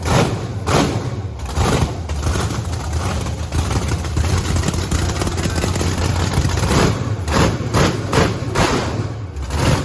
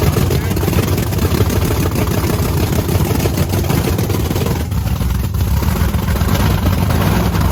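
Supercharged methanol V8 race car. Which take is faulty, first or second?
second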